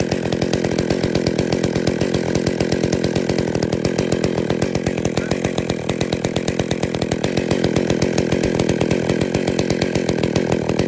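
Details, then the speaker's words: Chainsaw with centrifugal clutch at raised idle, checked with tachometer; clutch starts engaging at 2,500 rpm, where it should idle, instead of 3,500 rpm, so the chain creeps before the saw shuts off. "so in fact actually it's basically just started to engage at two and a half thousand which is where it should be idling where the idle should be set"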